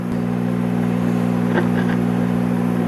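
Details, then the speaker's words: 1958 Emerson AM/FM Model 895 tube radio from an estate lot, powered through a replacement cord: a constant low buzz with steady stacked tones. Mains hum, suspected failing filter capacitor, or possibly a shorted part. "and as you can hear we have our trademark filter capacitor home or either that or a shorted TV we'll figure it out as we go along"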